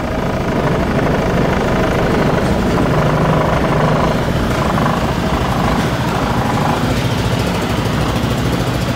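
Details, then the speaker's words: 2004 Honda Reflex scooter just after a cold start at 14°F, warming up at about 1500 rpm idle: steady, buzzy single-cylinder putter, rapid and even with no knocks or rattles; running as it should. It burns a little oil when cold. "it's running as it should and it's warming up"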